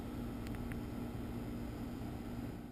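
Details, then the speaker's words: New American Standard Platinum 20 SEER heat pump running after replacing a noisy 12-year-old unit; soft steady low hum with gentle fan hiss, no rattles or surging; quiet normal running. "if you have a homeowner out there who really concerns or who is really concerned about noise this is uh this is the quietest heat pump in our line"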